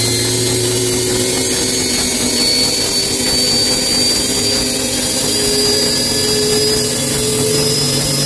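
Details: Bosch Maxx 6 washing machine after motor bearing replacement, drum bearings reportedly good, high-speed spin: loud rushing roar with upward-drifting whine; drum noise persists, owner concludes drum broken.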